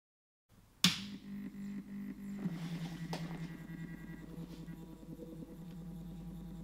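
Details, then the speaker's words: Stepper motor on an A4988 driver set to 16 microsteps: smooth, steady low hum with a soft even whir, around 45 dB. Quieter than at lower microstepping but still louder than with TMC2208 drivers. Normal stepper hum. "so you can hear it's a lot smoother and quieter we're now getting a sound level of around 45 decibels but it's still way louder than the tmc2 eight drivers"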